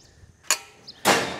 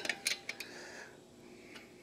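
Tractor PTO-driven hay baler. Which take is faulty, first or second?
second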